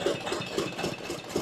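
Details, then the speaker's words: Glonet (Indian Lister-type knockoff) twin-cylinder diesel running after fuel-system cleaning and priming; steady chug with light, even rocker/valve-train clatter, no knocks or misses; left cylinder loses fuel at low speed but runs well now; normal running. "Kind of cool to see the rockers and everything"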